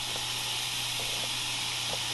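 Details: Constant high-pitched hiss over a low steady hum from a Lexus LS 430 whose temperature keeps climbing while the fans work hard; owner suspects hot coolant escaping from a crack, worse when stopped, not confirmed.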